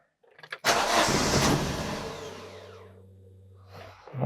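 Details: 2008 Daewoo Lanos 1.5 with gas/petrol (LPG) system, in rain: starter cranks at an even beat about two seconds but never catches; no start from spark plug leads fitted in wrong firing order.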